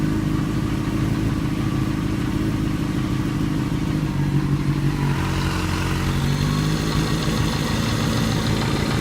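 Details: 2008 Yamaha FZ6 inline-four, 49,000 km, held at 2000 rpm after sitting off for some hours: odd extra droning note over the exhaust; abnormal engine noise, cause unknown.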